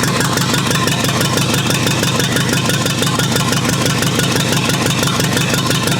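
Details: Rebuilt U23 engine, first start after 25 years, idle mixture screw about two turns out: uneven, lumpy, hunting idle about two beats a second; carburetor not supplying enough fuel at idle, running lean.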